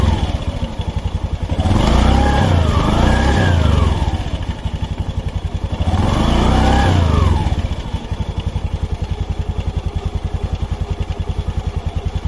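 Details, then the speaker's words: Honda Beat FI scooter after replacing the CVT rollers and slide pieces to cure a noise at idle: even idle, two smooth rev-ups and clean returns, no rattle or clatter from the belt drive; normal CVT running. "yan yan Okay na siya subukan na natin siya paandarin para Tignan natin kung okay na"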